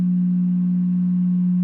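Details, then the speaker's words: Jet air filtration device fan sharing an outlet with a temperature controller running a side-bending heat blanket: steady low electrical hum, fan spinning slowly instead of properly; owner unsure if it is a concern. "but the fan spins slowly and it just hums uh is this something i should be worried about i don't know"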